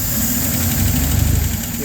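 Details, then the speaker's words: Hot LaSalle engine with choke closed a little: steady, even low idle with smooth rumble, no stumble or hunting, anti-percolation rods no longer moving up and down; runs cleanly with partial choke. "Sounds pretty good, and the perc rods aren't moving up and down either."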